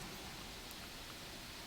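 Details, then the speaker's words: Lenovo Y540 17-inch gaming laptop with the CPU at full load: a steady airy whoosh at full fan speed, fairly loud, with no whine, rattle or pulsing; normal. "That's basically the full speed of the fan. It is fairly loud, but if you have headphones on, it's not really going to bug you."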